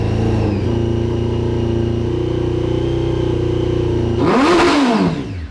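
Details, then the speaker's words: 2003 Honda 919 fuel-injected liquid-cooled four-cylinder, parked for years, started with brake parts cleaner: runs unevenly at fast idle with a rough spitting edge, then a blip and drop-off; sputtering on stale fuel that is to be drained and replaced. "just nasty fuel in there was spitting out all kinds of nasty stuff and it was kind of spitting and sputtering as well"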